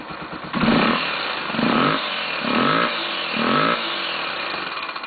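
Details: 2005 Honda Tornado 250 motorcycle, about 60,000 km, oil change up to date: light tec-tec ticking over short revs, only when cold and at low rpm, changing with throttle and stopping fully when warm; owner suspects tappets rather than valves.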